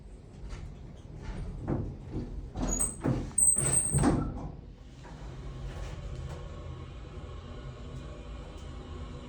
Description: Nice motor on this Dover elevator but couldn't quite figure out the knocking noises.